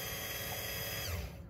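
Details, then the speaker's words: 2017 Chevrolet Express van ABS pump motor with new modulator valve, commanded on by scan tool after a C0110-04 open pump motor circuit code, heard from underneath; even high-pitched electric whir that spins down when switched off; normal running. "now I'm going to go back to the scan tool and hit increase and as soon as I do I can hear that motor running"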